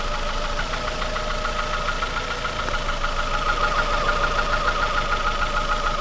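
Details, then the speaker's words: Cheap car engine at idle with coils pulled one at a time to deactivate cylinders: quick, fairly even knock stays constant and goes away when revved; likely not bottom-end rod knock, cause suspected, not confirmed. "there so the knocks they don't weigh the whole time I mean it remained which means you know it's not it's most likely now bottom"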